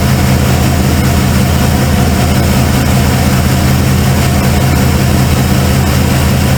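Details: Cold start of a 1995 Ford F-150 V8 barn find: a loud, heavy idle with a lumpy beat as one cylinder drops out. The owner suspected plug wires or firing order, and a passenger-side plug was gas-fouled.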